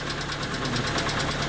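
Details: Hyundai Getz, partly warm (about 40°C), at idle: quick, sharp lifter ticking at roughly thirteen per second over a steady idle; oil pressure measured normal, so ticking isn't pressure-related, hydraulic lifter suspected.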